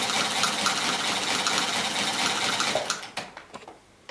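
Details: A Chaika-2 sewing machine with a metal half-gear replacing the cracked nylon one, after gear mesh and timing adjustment, stitches with an even, quick clatter of about 220 stitches a minute and stops cleanly.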